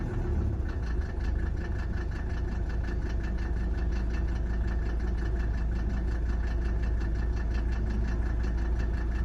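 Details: 1991 Mercedes 300D diesel at idle after injection timing set to FSM 14 degrees: uneven knocking clatter about three beats per second over steady low rumble; source unclear, abnormal diesel engine noise.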